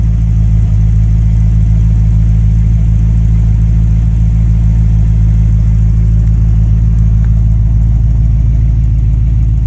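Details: Base 1974 Corvette C3 L48 V8 after installing new Corvette Central Magnaflow exhaust: deep, steady V8 rumble with smooth even beat, no rasp or leak; healthy exhaust note.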